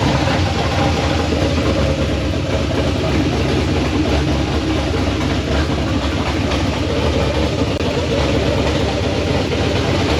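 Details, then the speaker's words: LS V8 on open headers, first start after the old tune was deleted, running with no tune and bad injector data: loud, stumbling, uneven chuffing idle with no steady beat; misfiring on several cylinders, needs tuning. "Oh, it started, but it sounds like crap. We gotta tune it. It's got open headers."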